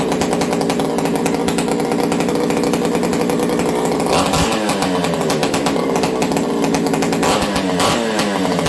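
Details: Ported XL 922 Super chainsaw being warmed up and restarted: a high-buzzing two-stroke revs crisply on throttle blips and settles back cleanly with an even, strong note, running healthy.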